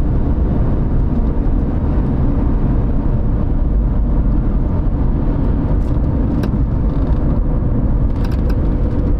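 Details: 2010 Dodge Avenger 2.4, 123,302 miles, road test at cruising speed after replacing front wheel bearings (EVAP/gas cap fault also fixed): steady low road rumble with no growl or hum rising with speed, only tire noise remains.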